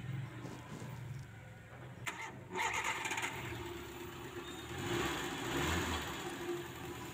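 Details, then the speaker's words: Engine with distributor exposed to dripping water, started after getting wet: cranks and catches, then idles roughly with sputtering dips, surges and shaking; dies at low throttle, unstable ignition; misfire from wet distributor cap, which should be covered. "ternyata hidupnya semacam ini Lur suaranya beradul-beradul merebet-brebet lur dan guncang ya mesinnya"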